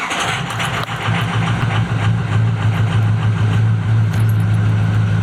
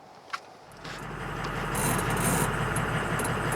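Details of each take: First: Ford 6.0 Powerstroke diesel truck, hard to start days after turbo repair; owner suspects glow plug circuit, perhaps a pinched harness (plugs replaced about 2.5 years ago): steady fast cranking chug for seconds without catching cleanly. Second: 6.0 Powerstroke diesel after hard cranking, with new glow plugs fitted and the glow plug control module inspected and reseated: a faint knock, then it catches and settles into a steady, even, smooth idle.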